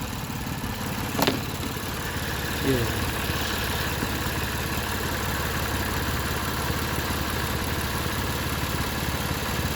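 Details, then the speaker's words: High-mileage used car under inspection: even, steady idle with no squeal, chirp or knock from the belt and pulleys, running smoothly; an oil leak was also spotted. "Police जो है ना यह सही चल रही है smooth है माशाल्लाह"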